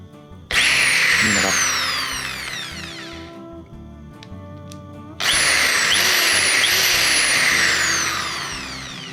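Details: Pumpkin electric drill after inspection and reassembly: high, even motor whine spinning up and coasting down twice, steady pitch, no grinding or brush sparking crackle; drill runs normally.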